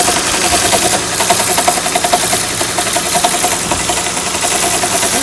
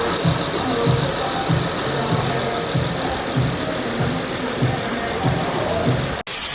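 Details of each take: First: Honda Accord V6 (3.0 or 3.5) at idle with a bad alternator: fast rough ticking rattle with a ringing whir, like a timing belt flapping inside the cover; cured by a new alternator. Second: Honda Accord idling with a steady, even rhythm and a soft regular pulse, no flapping or rattling from the front drive; sounds healthy.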